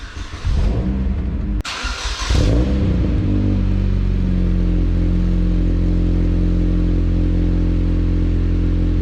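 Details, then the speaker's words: Cobalt SS just after oil change and service: engine catches after a short crank and settles into a steady, even idle with a low smooth hum, no knocks or ticks; normal start. "we're going to start her up and see what she sounds like guys"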